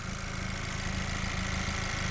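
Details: 2020 Chevrolet with lean codes: steady, even idle with a smooth low rumble, no hiss or hunting, once the loose air box is held down. The vacuum leak is fixed and fuel trims correct.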